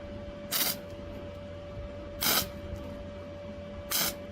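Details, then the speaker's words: Flux-core MIG welder tacking thin sheet metal: three short, sharp split-second crackling zaps about a second and a half apart over a quiet hum; normal, clean flux-core tack welding. "You hear how long I'm holding these tacks? I mean, they're just split-second zaps."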